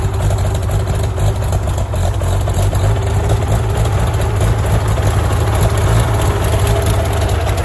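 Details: Farmall tractor (1949 H or 1968 656, unclear which), troubled by fuel problems and cutting out; carburetor adjusted after it hadn't run over 30 seconds, coolant was 2.5 gallons low. Steady, even low rumble, no misses, knocks or hunting; normal idle.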